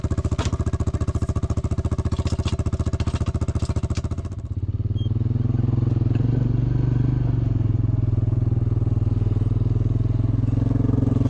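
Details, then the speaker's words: Caterpillar 307SSR excavator diesel running for some time pushing dirt after an overheating fix; deep, even throb holds steady rhythm under load, water temp hasn't moved, sounds healthy, overheating problem fixed. "Okay, we've been running for some time now. We got this far and my water temp hasn't moved. My problem is definitely fixed."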